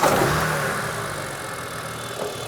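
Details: Car with 204,000 miles that wouldn't idle and began making a weird noise. Idle starts strong then sags and wavers. Strong suction on the oil filler lid points to a blocked crankcase breather (PCV valve, a serviceable item): rough idle.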